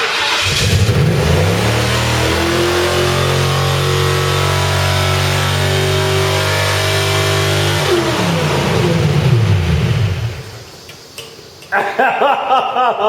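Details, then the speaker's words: Crown Victoria first start after a full engine rebuild: engine flares to a high, sustained scream near redline for several seconds before dropping back. Stuck-open throttle suspected, but the throttle appears to work. "well I mean that was that was kind of red line I'm not entirely sure why cuz your throttle stuck open"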